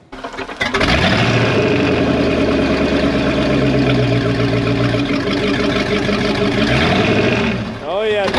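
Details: 1992 Sea Ray 38 SS, starboard twin MerCruiser 7.4L MPI L29 V8 (Bravo 3 sterndrive), not run for about five years, on water muffs: cranks and catches within a second, then holds an even, steady idle with light blips; running smoothly.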